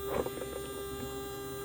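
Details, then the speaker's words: Small DC reduction-drive gear motor powered by a DIY buck-boost portable lab supply: steady, clean mid-pitched whine with no clicks or grinding as it turns; running normally. "Okay, let's turn our torch on, and we can see this is turning around nicely,"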